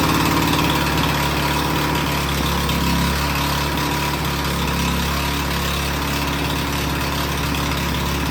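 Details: Toro Power Clear single-stage snowblower that had backfired on pull start, after topping up very low oil: the small single-cylinder engine runs at a steady, even pace with no misses or knocks, running like a champ; an oil change to 5W30 is planned.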